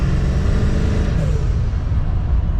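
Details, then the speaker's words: Ford F250 Super Duty 4x4 7.3 turbo diesel after rear driveshaft and carrier bearing replacement, driving: deep steady drone builds smoothly under throttle, former loud wah-wah, clunking and vibration on lift-off gone; driveline healthy. "takes right off no more clunking no more vibration no weird noise"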